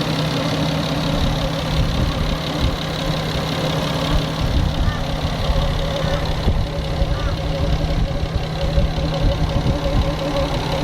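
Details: Nissan RB25DET Neo straight-six petrol engine idling steadily with a fast, light ticking through the low hum; suspected tappets or an exhaust manifold leak, not confirmed.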